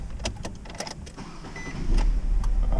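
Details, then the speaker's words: 2012 Nissan Sentra that won't start cold and runs lean, ECU chilled in a freezer to reproduce the fault then warmed to shop temperature: relay clicks, short crank, catches and holds a steady low idle; temperature-sensitive ECU fault. "no start with a cold computer all right she's been warmed up a little bit that's about the temperature of the shop"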